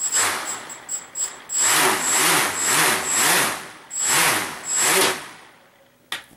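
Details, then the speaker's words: Brushless motor with reprogrammed replacement ESC using a faster startup time, prop mounted backwards: repeated quick whines climbing and falling smoothly with throttle, no cut-outs or stutter; earlier jitter and stopping fixed. "and you can also hear it revs up a lot faster too now i've changed the startup time to be a much faster to start up the motor to full speed as fast as possible and that seems to have fixed the problem"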